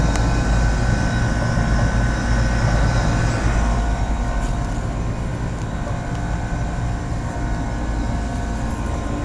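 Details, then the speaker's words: 1986 Lennox heat pump and 1993 Trane XE1000 condenser running in cool mode on 19 lb 8 oz of R22, microphone near the compressor side of the cabinet: steady, low, even hum with no knocking or rattling; compressor healthy. "19 pounds eight ounces of r22 and i can tell just by the sound that the compressor is right near this part of the cabinet"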